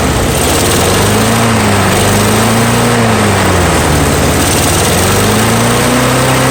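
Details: Free curb-find Snapper mower, Briggs & Stratton single-cylinder, run on starting fuel with air filter off after rebuild despite nicked piston and corroded carb: loud continuous running, speed gently wandering, no knocks or misses; normal running.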